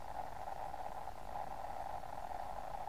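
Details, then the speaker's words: uSDR QCX-to-SSB 8-band QRP HF transceiver, no aerial connected, about 5 W, volume at 7 then 10: constant hiss with low uneven rumble and muddy midrange; audio distorted at level 9 and below, cause not found. "you go to 10 it's more like a normal audio should be it's sort of rumbling away"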